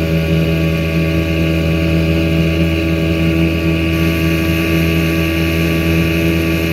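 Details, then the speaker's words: 1984 Evinrude 6hp two-stroke outboard on a lake test after crankshaft spline repair with a hex-drive extension, reaching 14 mph: a steady, unbroken high buzz at speed over wind rush, no misses or surging; running healthy. "reverse back into forward all right seems to be a happy little motor again 14 miles an hour out of a six horse i'll take that"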